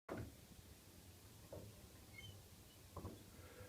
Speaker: вы можете слышать, доводчик данной двери издает очень неприятный скрип. И чтобы устранить эту проблему, мы применим гибридную силиконовую смазку Effile Uni S.